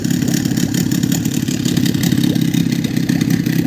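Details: Boat outboard motor idling after cleaning the fuel pump and flipping its non-sealing reed petals; steady low burble, even firing, no sneezing, normal idle.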